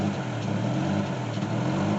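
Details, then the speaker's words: 2002 Chevy Trailblazer with code P0507, check engine light: idle drone swells and sags about every second, RPM needle going up and down. Idle surge; fixed by replacing throttle body, one ignition coil pack and fuel regulator. "needle at idle is going up and down, up and down, up and down, and up and down. So this is one of the complaint by the customer, that the RPM is going up and down. And also it sounds funny."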